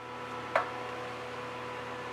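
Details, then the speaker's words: Power Mac G5 after repair of exploded/leaked liquid-cooling damage, two CPUs (2.5 top, 2.7 bottom) refitted: click at power-on then steady airy roar with faint whine, fans at full speed. "Fans are at full speed, which we assumed would happen. At least it sounds like they are."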